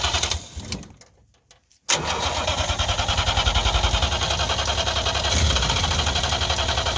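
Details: 1958 DKW pickup, three-cylinder two-stroke, front-wheel drive, first start in a long while: cranks in a quick even rhythm after a pause and catches into a rough two-stroke, snowmobile-like beat; slow to fire after sitting.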